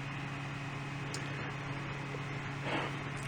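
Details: Fan on an APC Back-UPS 450 test setup after AC line power was restored, relay clicked and reading about 122 V: a steady low hum with an even airy rush and no surging, so the fan is running normally.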